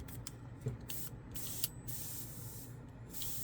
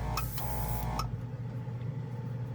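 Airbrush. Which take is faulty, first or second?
first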